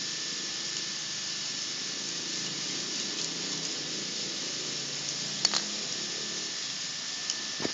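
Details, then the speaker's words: Refrigerator 3/4 compressor on a capillary test rig, 0.28 bore capillary 2 m long: loud, strained hum with high hiss and steady tone as the compressor labours harder against the restrictive capillary, pressure building slowly. "0,28 Ini suara ini semakin keras semakin ngeden kompresornya karena ini kompresor 3/4"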